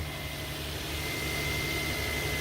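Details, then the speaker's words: 2003–2008 Infiniti FX35 3.5L started cold after the squeaky-belt fix: a steady, even idle with a low hum and no longer the startup belt squeal it used to make when cold. "Oh, gotta get the key. There we go. And there you have it. There's no more squeal."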